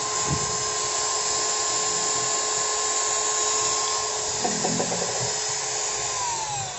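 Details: Ryota 2010VR 10mm drill fitted with an MT60-type substitute armature after large brush sparking: steady high-pitched whine, even note, no crackle or rough spitting; only slight normal sparking, healthy motor.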